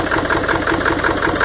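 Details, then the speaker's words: 1997 Ford F-250 Power Stroke diesel with a hard-start problem, just started after glow plug cycling with a little smoke; uneven, lumpy idle with a loping beat about every fifth of a second; owner thinks it's running on about 6 cylinders, cause unknown. "Got a little bit of smoke, not too bad. But she's definitely a rough runner. So there she is. Sounds like she's running on probably 6 cylinders, I don't"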